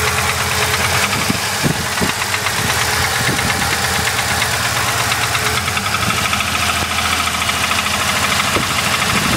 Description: Knocking noise any suggestions on what it could be?